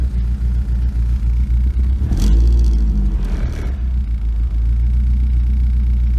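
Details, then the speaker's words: BMW E36 318is first start after cooling-system plastic connector replacement and starter wire reconnected: heavy low rumble with uneven surging two to three seconds in, then lumpy running that clears up a little; rough running. "oh jeez oh come on baby sounds a little icky"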